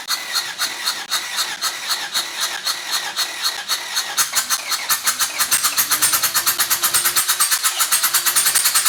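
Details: Rescued engine rebuilt with donated parts, timing correct: sharp regular knock about two a second quickening as it revs, with a squeal over it; knock at number one cylinder, suspected wrist pin, not confirmed.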